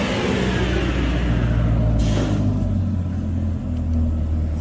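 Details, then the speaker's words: C8 Corvette Stingray V8 full-throttle dyno pull with headers and Lingenfelter/Corsa Extreme S axle-back, stock ECU: deep, strong roar with smooth, even drone, no knocks or misses; healthy, about 450 rear-wheel horsepower, up from 426 stock. "That sounded healthy. Yeah, we're good. It's like just over 450 wheel."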